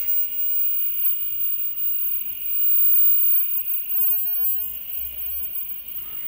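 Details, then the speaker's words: SEMP CRT television during restoration: a constant thin, very high whine over a quiet background while the set runs. Flyback suspected as the noise source, not confirmed. "de repente a gente pode até tentar soldar lá embaixo Mas eu acho que o flyback mesmo que tá ruidoso"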